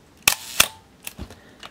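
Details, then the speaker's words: Minolta SRT 202 35mm SLR shutter fired at a slow speed: two crisp clicks about a third of a second apart, open then close, clean and even. Timing sounds right. "1/2 and one full second and that sounded pretty good"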